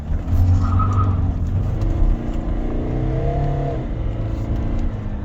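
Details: Kia Carnival turbo diesel, 187,000 km, driving after the intake pipe that caused low power was replaced: engine note climbs smoothly and evenly under load over road rumble, no hesitation or flat spots; acceleration normal.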